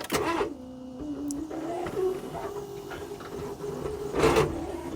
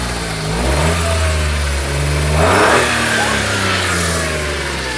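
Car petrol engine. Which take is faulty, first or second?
first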